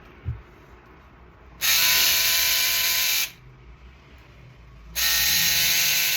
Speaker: Você que tá com sua shaver aí bastante barulhento, aparecendo um trator, acompanha o vídeo aí.